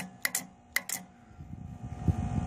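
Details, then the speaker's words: Genie lift speaker tower with safety limit switches bypassed: two pairs of sharp solenoid clicks with no motor spinning up; the few-years-old battery is suspected too dead to run the lift, and the owner plans to swap it. "this battery is too far dead to actually run it up and down but I now can you can now hear the solenoid click anyway"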